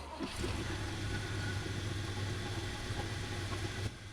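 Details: 1970 GMC 1-ton that wouldn't fire, after adjusting ignition points; low steady idle with even beat and no misses or knocks; owner suspects the alternator is audibly noisy.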